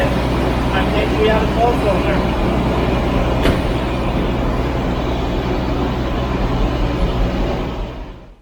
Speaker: sadly that was a bit of a false positive however there was good news just one minute um it ran on 11 again after a couple seconds so i did the whole thing one more time it ran on 11 again